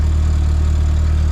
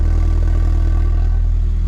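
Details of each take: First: VW Golf MK4 GTI 1.8T idling after the cracked resonator was repaired with welding and V-bands and a big muffler fitted: steady, deep, even rumble, no puffing or ticking; sealed exhaust, though owner suspects a small leak near the turbo. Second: MK4 VW GTI 1.8T, engine cold at idle before repair: deep even rumble with soft rapid puffing about four times a second from the cracked mid-pipe resonator; said to sound far worse when hot.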